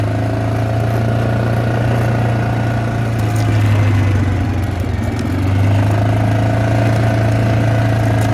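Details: Yamaha Grizzly 600 four wheeler after sitting upside down 25 feet underwater overnight: steady, even idle with smooth low thrum, no misses or knocks, slight rise and fall; sounds healthy as before.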